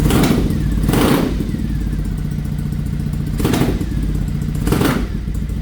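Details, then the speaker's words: Carbureted 2007 Triumph Thruxton 900 twin just after installing ProCom PE-C-MTBS-A programmable CDI on map 3: lumpy idle with three throttle blips showing slight stumble and hesitation off idle not present with original CDI; mild, cause unconfirmed. "So I noticed a bit of stumble, bit of hesitation right off idle that I didn't have with the original. But it's not bad."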